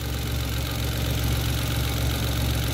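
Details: Mitsubishi Mirage G4 sedan after fixing a no-start in which the throttle body stepper motor had locked from disuse; the spark plugs were also dirty. Warm engine with a smooth, steady low hum and no misses, knocks or hunting: normal idle.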